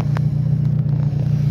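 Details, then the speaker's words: Renault Kangoo 1.6 16-valve K4M, warmed up, running on CNG: low, steady idle at about 750–800 rpm with no hunting, stumbling or misses. The stalling and rough idle were fixed by cleaning carbon from the throttle body; now idles properly. "si pueden ver quedó perfecta en 700 750 barras ochocientas vueltas está bien esta gnc obviamente"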